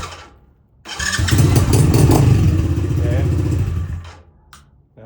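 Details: Tao Tao 110 mini quad with a swapped Kawasaki KX60 two-stroke engine, remote anti-theft kill switch unlocked: short crank, then the engine catches straight away and runs smooth and even for a few seconds before shutting off; healthy start.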